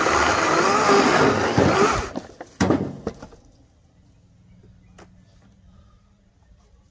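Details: Greenworks 80 V battery chainsaw cutting mostly oak sawmill slabs: steady high whine biting through wood for two seconds, then the motor cuts out cleanly; normal cutting.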